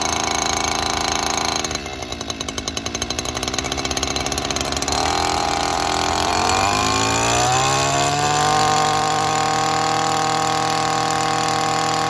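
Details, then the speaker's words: Stihl FS 94R two-stroke trimmer, cold first thing in the morning, after a tune-up, before carburetor adjustment; it bogs and sometimes shuts off by midday: catches roughly, bogs and nearly dies, then climbs unevenly to a steady high buzz. "as you just saw there in the video it is having a rough time starting um it is first thing in the morning and by midday it bogs d"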